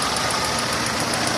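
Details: Renault on LPG idling with sharp, even high ticking about seven times a second from noisy Atiker 3-ohm gas injectors, described as sounding like valve noise; later swapped for Vikars 2-ohm injectors, which ran slightly better.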